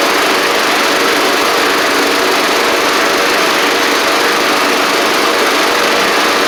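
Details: Troy-Bilt Pony mower with swapped-in Briggs & Stratton flathead (replacing Powermore; new Briggs carburetor, 12.5hp air filter), final test with hood back on and fresh oil: steady, even single-cylinder buzz, no knocks or misses; normal running.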